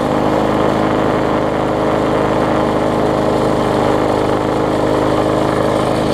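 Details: Bolens front-wheel-drive self-propelled push mower with roughly 4.5 hp Briggs & Stratton, after regapping ignition coil that sat too far from flywheel (had no spark): steady, even single-cylinder drone, no misses or surging; running properly.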